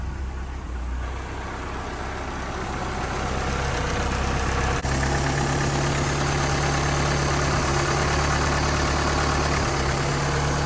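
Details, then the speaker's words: 1986 Dodge Daytona Turbo Z Shelby turbo four, rebuilt engine, after turning the idle adjustment up. Low, even, smooth, steady idle: normal. A loose plug is noted on cylinder two, and it smokes as it did when first started after the engine build. "well that's pretty darn smooth right there OHP we've also got a loose plug here cylinder number two it looks like she's sitting there running pretty solid right now real smooth"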